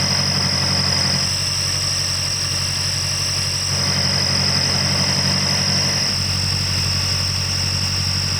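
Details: A whistle appeared under the hood while driving; first suspected the alternator overrunning clutch or an idler pulley, but belt components were ruled out. Steady high thin whistle over a smooth even idle; exhaust leaking past the manifold flange gasket.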